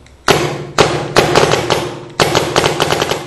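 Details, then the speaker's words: 2009 Smart Parts Shocker NXT paintball marker with new 2009 board in mode 1, semi-auto; sharp single cracks, one per trigger pull, in quick uneven groups, cycling cleanly. "So that is semi-auto. So that is the first mode that you have."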